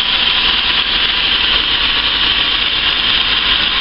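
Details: Petrol engine idling steadily and evenly with no hunting, misses or knocks, settling down after a throttle body clean.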